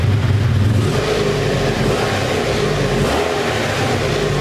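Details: 1984 Honda Saber VF700S V4 running on its own gas tank and fuel filter, tachometer not working: smooth, even steady low growl picking up cleanly on the throttle, no knocks or misses; engine sounds healthy.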